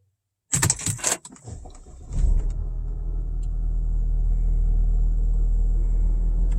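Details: Audi A4 B8 started after replacing the defective ignition lock/switch: key jingle, a short crank, then it catches and settles into a steady, even, smooth idle. Starts and runs fine, and the ignition lock warning light no longer shows.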